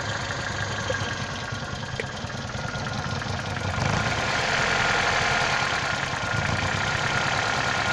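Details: Toyota Caldina ET196, 1996, 5E-FE engine, a year after overhaul with new crankshaft and bearings: idle with light, fairly regular tapping about four a second over the hum; engine knock, source unknown.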